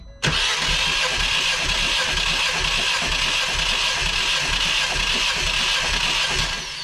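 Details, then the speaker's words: Ford Fiesta ST180 with blown engine, compression test cranking on cylinder four: steady, even six-second cranking whir without stumbles; reads a tad over 140, like the other two good cylinders, while cylinder one is dead. "so pretty much exactly the same, a tad over 140, so them three pretty even."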